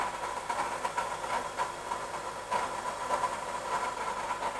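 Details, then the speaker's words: Honda Element power steering pump just replaced, new pump primed but not bled; wheel turned and held full right then full left to bleed. Faint wavering mid-pitched whine under rough churning whoosh, aerated pump still purging trapped air. "All the way to the right. It'll make that real horrific noise."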